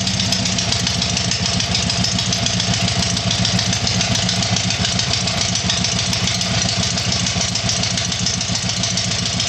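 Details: Tiger-1 engine after rebuild: steady, even idle with quick regular firing beat and bright exhaust rasp, no knocks or misses; normal idle.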